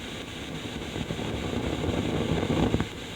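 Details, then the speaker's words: Fender Twin Reverb reissue tube guitar amp at idle: steady hiss with a low rumble and sharp crackles that build up and then fade. The customer reports a build-up crackle that comes and goes with a sharp thump on the cabinet. "i'm starting to hear a bit of a rumble building up here a bit of a bit of a kind of noise"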